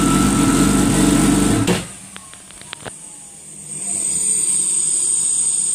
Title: GPSHO Comp Turbo Watercraft start and idle after rebuild